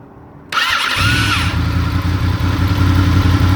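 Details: Honda VFR800 motorcycle: high, wavering whistle over cranking at start-up, fading as the engine settles into a low idle.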